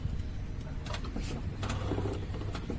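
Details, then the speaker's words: VW Saveiro Cross with the engine off and the steering wheel being turned: intermittent dry creaks and knocks from the front right suspension. A rear noise and a tinny rattle are also reported; the car has not yet been lifted for inspection. "tem barulho na traseira também e tem um toque toque tem um rangido né quando esta o volante tem esse toque toque"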